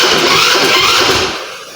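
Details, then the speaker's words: Handmade petrol motorcycle with hand-built mag wheels and tank, kick start: a brief whirring rush that fades with no firing pulses. Cranks but won't start; air in fuel line suspected, petrol present. "મિત્રો પાછી try મારી પણ હજી ઉપડતી નથી."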